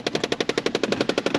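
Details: Car lift area during 1999 Subaru Legacy Outback EJ25 engine job: fast, sharp metallic clicking around eleven per second keeps repeating; an actuator is chattering, still doing it, needs fixing.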